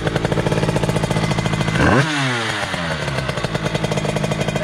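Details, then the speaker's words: Derbi DRD Limited 2005 with Euro 3 GPR engine, 70cc 2Fast kit, 28 SWR carburettor, KRM exhaust, first start after rebuild, not yet tuned: choppy two-stroke idle with uneven pulses and a quick rev that sags back; untuned carburetion. "les gars la moto est pas du tout régler le cas pour la reçues ont la montée directe donc pour moi ça démarre"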